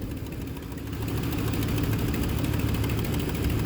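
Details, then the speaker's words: Big-block V8 in OBS truck at idle after first start: light, fairly regular tapping over the low rumble with a dead cylinder; owner suspects a couple of stuck lifters. "Yeah, it sounds like a couple lifters are stuck. But hey, it does fire up. Yeah, it sounds like a couple lifters are stuck."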